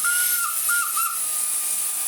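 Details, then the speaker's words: Used Shark Wandvac 2-in-1 handheld vacuum with a dirty, likely never-washed filter: steady high shrill whistle over the motor hiss, dipping in pitch a few times. This noise is what it makes when the intake is blocked. "And if you notice, it's not making that noise. That noise is what this makes when you block it up."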